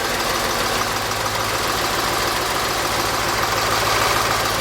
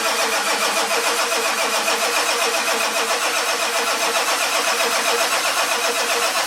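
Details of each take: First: 1946 Ford with diesel engine after running glow plugs, IDM relay clicking stopped: diesel starts and settles into a quick even clatter around three beats a second with no stumbling; runs and idles normally. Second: 1946 Ford with diesel engine, glow plugs worked manually on a cold 49° morning: steady starter cranking with even compression pulses about four a second, turbo wheel spinning slightly, never catches; cause unconfirmed.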